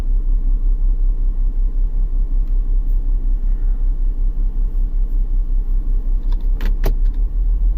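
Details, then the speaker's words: 2001 BMW X5 3.0L with P0306 and catalyst efficiency codes, idling: deep steady idle with recurring stumble about twice a second; scope shows one ignition coil losing multi-strike, misfire from failing coil. "looks like we have a bag coil see that one does not look like the other ones the multi strike is not happening"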